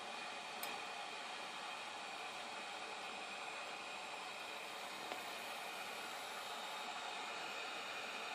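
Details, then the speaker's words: DIY solar water heater, 120 V open-circuit DC (104 V under load, 8.24 A) feeding a 240 V/4500 W element through a 140-degree DC thermostat: steady frying hiss with sharp snaps, a sustained blue arc across the contacts, which cannot break the circuit. "So you can hear it's arcing, and see the blue arc in there, but it's not shutting off. It's just unable to shut off."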